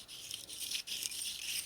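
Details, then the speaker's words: 1976 Harley Shovelhead 4-speed transmission rebuild: early ball-type throwout bearing pushed and spun by hand gives faint dry gritty grinding rasp, no clunk or catch; light wear, judged good enough and reused. "Can't really feel it. You can hear the grinding, but not the chunkle in it. It's good enough."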